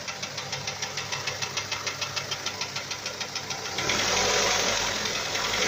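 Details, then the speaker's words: Hyundai Sonata 5 (TagAZ), Beta engine, at idle: sharp, regular ticking knock about three per second, then drowned by a louder hiss. It appeared suddenly after a spark plug change, with a thread insert fitted in cylinder 3; cause unknown. "Стук с двигателя произошел внезапно, после замены свечей."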